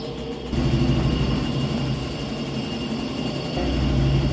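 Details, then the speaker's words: Washing machine on spin after replacing drive mechanism, bearings and seal: steady, even drum whir with no roaring or droning; the earlier airplane-like bearing noise is gone. "vamos ver [Música] acabou aquele barulho de avião"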